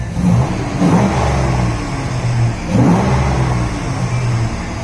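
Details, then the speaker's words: Nissan Hardbody D21 truck being built to 400+ hp, new AEM fuel pump, new exhaust with switched cutout valve; two clean free revs rising and settling smoothly, deep even exhaust note, no knocks or rattles; healthy engine, not yet tuned but good AFRs. "And now we'll give it another rev."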